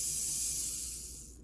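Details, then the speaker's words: Athearn Jet 400 HO-scale motor after rewinding, on 12 volts: high even whirring hiss, spins up fast and runs smooth before cutting off; good speed, more torque than before though less than a modern can motor; healthy motor. "Now let's try powering it on. And it takes right off. It's 12 volts, and I'd say that's running at a pretty good speed."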